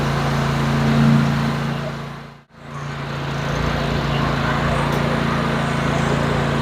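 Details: Cub Cadet 54-inch mower, 24 HP Kohler twin, after ignition coil module replacement: steady even beat with blades engaged, no bogging; previously bogged badly when PTO engaged. Fixed, normal running under load.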